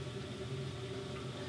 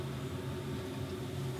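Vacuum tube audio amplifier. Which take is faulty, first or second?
second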